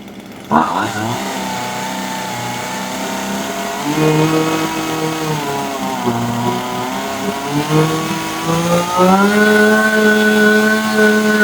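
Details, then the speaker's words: Husqvarna 136 chainsaw, repaired no-start, warmed up before carburettor adjustment: crisp two-stroke scream at wide-open throttle, pitch stepping up smoothly as the high-speed (H) mixture is leaned, clean and steady, no misfire; normal full-throttle running. "Ja, då ska jag köra den lite varm först bara innan jag börjar justera."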